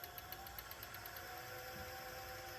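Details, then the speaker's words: TurnCrafter Commander 12-inch lathe after a control board repair (bad MOSFET replaced): quiet, even motor hum at low potentiometer speed with a faint rattle because the lathe isn't bolted down. Runs steadily without surging, normal. "turning the potentiometer and that noise is just this little fatherly and vibration and don't have this bolted down or anything"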